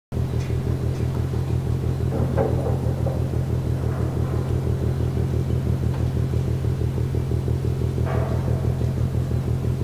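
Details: Container ship MAERSK TAIKUNG moored at the Port of Genoa Pra', recorded at 1 a.m. from more than 1 km away: deep, even drum-like pounding about two beats a second over a low rumble; rhythmic banging, cause unknown.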